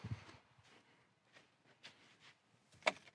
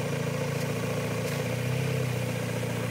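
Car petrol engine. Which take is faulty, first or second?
second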